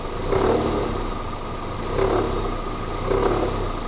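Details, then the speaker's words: Toyota Corolla engine with AC on, in drive, accelerating: deep heavy knock resembling timing chain, in surges, worse when AC compressor loads the belt; vibrating poly-V belt tensioner damper knocking, found by holding tensioner with wrench. "faz um barulho Grosso parecendo até corrente comando aqui batendo a E aí e é bem evidentes quando o ar condicionado Ele ativa que ele pesa lá o compressor"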